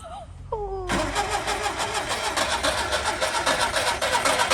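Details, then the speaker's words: Skoda Favorit Forum not started since 2001, running on old fuel, distributor cap, rotor arm, HT leads and plugs: whirring starter then it catches at a fast, slightly uneven beat; needs full throttle to start, stays running at about half throttle (2,000–3,000 rpm) and won't hold idle. "so it starts you need full throttle to start it and then it'll stay on if you're on about half throttle"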